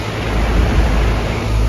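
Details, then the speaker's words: Central AC unit after the bad compressor capacitor was replaced: a deep, even motor hum under the steady rush of the fan, no buzzing, clicking or stalling; the compressor is running normally and cooling again. "if you listen there isn't just the fan blowing"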